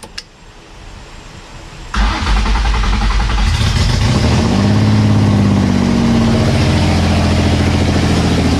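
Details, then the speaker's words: Nissan S13 with swapped VQ35 V6, first start after days of fuel-related no-start, no exhaust fitted; starter cranks briefly, then catches and settles into a loud, steady, even run. Sounds healthy. "let's go let's go wow it started i can't wait for the first second that i get to drive this thing"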